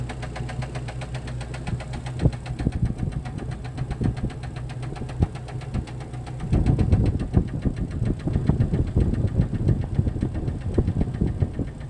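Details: Jeep Cherokee XJ facelift, 2.5 L four-cylinder petrol engine, skirt broken off the piston in cylinder two: low idle with irregular hollow knocks that sharpen as revs rise; piston slap from broken piston skirt.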